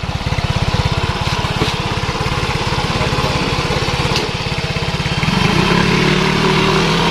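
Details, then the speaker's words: Yamaha Mio Soul 125 scooter test ride after replacing the rear wheel axle bearing, which had been loose and noisy; even single-cylinder putter, no grinding or rumble from the rear wheel; now smooth and healthy. "Oke halus ya suaranya ya oke teman-teman bagaimana komentarnya er mantap"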